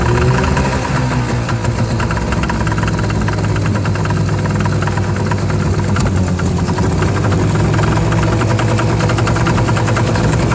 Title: Yamaha 2 Stroke 25HP strange noise - not with ear muffs....whats going on?